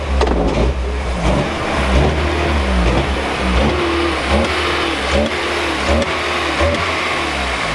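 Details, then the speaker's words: VW Golf Mk3 after timing was readjusted: revs rise and fall cleanly with no pops, backfires or bogging; stalling may not be fixed; normal revving. "so now there's no more backfiring will the car still die I don't quite know but it's running good again there's no more backfiring or bogging this so it may be good"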